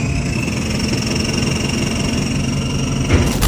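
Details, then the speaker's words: Nissan Patrol with 4JJ1 diesel, automatic, starter motor removed: steady low whirring rumble with thin whines and clunks as the converter spins unconnected to the engine; broken flex plate, after a very loud knock. "now when you turn the key all you can hear is the converter spinning inside the transmission so nothing is hooked up in terms of the transmission to the motor"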